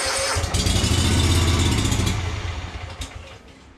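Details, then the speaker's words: Yazoo Kees ZT Max zero-turn mower with a Kawasaki engine, after a new carburetor, previously dying at full throttle after about a minute: it catches and runs strongly for under two seconds, then dies right after starting. "right up and then immediately stops"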